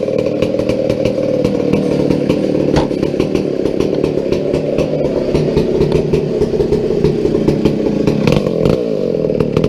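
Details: McCulloch 797 123 cc two-stroke chainsaw, sat unfired for years, fitted with a foo bar fuel system and filter: strong even buzz, steady and revving cleanly without stumbling; healthy running.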